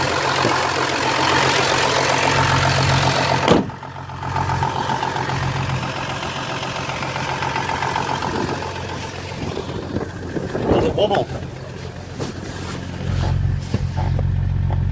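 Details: Audi 3.0 TDI after cleaning and resealing injectors with new copper washers and O-rings: diesel settles into a steady, even idle, no tapping over the clatter; injector seal tapping fixed, engine sounding a bit noisier overall.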